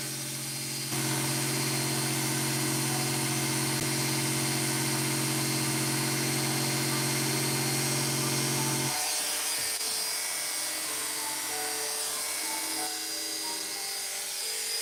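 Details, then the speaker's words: Hair clipper on test after its loose blade socket was tightened with pliers: a steady, even buzz with no rattle or chatter, now quiet and running normally. "So I just got to tighten it up. with a pair of pliers in this little device. Now listen to it, it'll sound better now. See how quiet it is now?"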